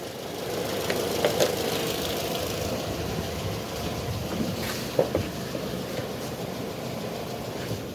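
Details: Ford Fiesta with overheating and misfiring idles unevenly, with irregular stumbles and occasional sharp pops through a steady mid-pitched drone.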